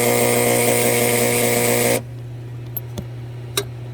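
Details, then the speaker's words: 2015 Frymaster FPEL314CA 208 V three-phase electric fryer: loud steady buzz, then sharp clicks as it cycles; the heat contactor coil is stuck, causing the noise, and the contactor must be replaced. "You can see it's making bad noise because of the coil. The coil is stuck."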